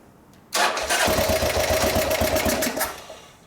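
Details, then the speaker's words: Buell (Sportster-based) motorcycle, split tanks, cranked at about quarter throttle: steady fast starter churn, about four beats a second, never catches; little fuel found in the carburetor, so the engine is starved of fuel. "cranking all day ain't gonna make no difference i know i know ask how much fuel is in the carburetor it doesn't appear to be very much at all well you're not getting fuel to your carburetor so when you get fuel in the carburetor the bike will run a lot better"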